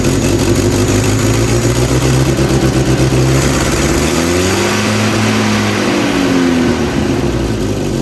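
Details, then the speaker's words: 1967 Volvo 122S Amazon, abandoned 35 years: loud raspy exhaust with rough uneven puffing as revs rise and fall, from a hole at the manifold flange that couldn't be sealed; exhaust leak at manifold flange, before pulling the exhaust for a new 2-inch sport exhaust. "This thing has made a lot of noise from the hole on the flange here. I've not been able to get it sealed up."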